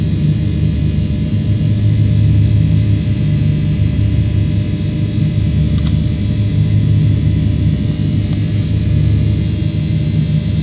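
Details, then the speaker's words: 900 kW synchronous mill motor at a factory, first start from a frequency converter with excitation and stator current present: deep, smooth, even hum with a steady low drone and no knocks or rubbing; normal running. "Двигатель поехал? Да, возбуждение есть, ток статора есть."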